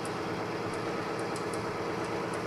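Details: Oil-lubricated test rig with BestLine additive added, around 184° temperature, loaded up toward 39–40 ft-lb: even, steady rushing run with only faint light ticks, no squeal, grabbing or seizing; much quieter than without additive; normal running under load.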